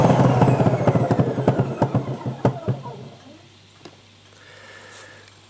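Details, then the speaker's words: Sebo Professional G1 upright vacuum with the brush removed: the motor winds down with rapid irregular clunking, three or four knocks a second. The clunk persists without the brush, so the owner suspects the motor. "I've taken the brush out to make sure that it weren't the brush for any reason. If you turn it on, makes that clunking sound still."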